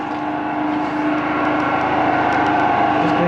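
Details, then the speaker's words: Washing machine during its cycle: loud, steady droning roar with a hum that builds as the drum spins up; owner says the drum bearings are severely gone and about to give out. "I don't know how he's still sleeping because the bearings on the washing machine are gone"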